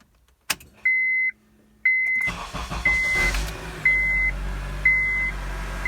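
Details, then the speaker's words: 2006 Honda CR-V 2.4 L, 113,000 miles, first start after starter replacement: chime beeps about once a second, then a short crank and the engine catches cleanly and settles; starter and start normal. "All right, first time I heard it run."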